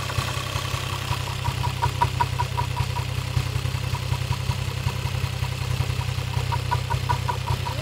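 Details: Toyota 1JZ-GTE VVT-i engine at idle: steady low idle with a light, sharp tick on top at about two and a half per second; engine knock of unknown cause.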